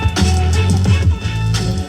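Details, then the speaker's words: 2013 Toyota RAV4 front door, new Pioneer TS-F1634R speakers replacing blown rattling ones: clean bass-heavy music with no buzzing or rattling on low notes; rattle gone. "Well, there you go. No more rattle. Well, quite the difference there."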